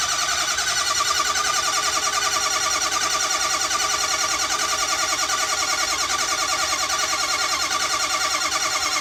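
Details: Ford 6.0 Powerstroke diesel after a full engine rebuild, hard start: steady rhythmic cranking about three beats a second going on and on without catching.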